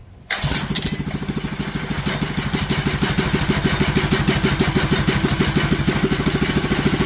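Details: Clone GX200 196cc single-cylinder engine, fresh build on 68 mm block for a mini bike: pull start catches and runs, but the beat stays uneven and lumpy at about three a second; owner suspects valve too tight.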